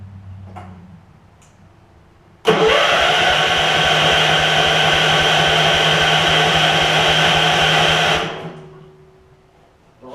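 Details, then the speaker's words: Gravely 16 Professional walk-behind mower, 578 hours, fresh gas, air filter off, run on starting fluid: catches sharply, fast even buzz about five seconds, then winds down and dies; fuel not reaching carburettor. "okay so not getting fuel up to the car it coul"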